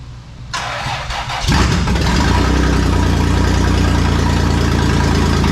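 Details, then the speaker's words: Toyota 4Runner 3VZ-E after engine repair, exhaust not fitted, fuel leaking: cranks, catches and settles into a loud, even rumble with no misses, sounding much better, normal running. "but hey it sounded a lot better didn't it"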